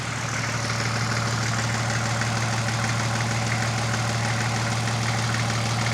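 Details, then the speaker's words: Nissan Patrol TD42 diesel freshly fitted with a Thai-built F66 turbo, first start on a weak battery with no alternator belt: steady deep idle with even low clatter, no misses, knocks or whistle; much quieter, sounds healthy. "Woo! It's a lot quieter. Woo-hoo-hoo! Oh, it sounds really good."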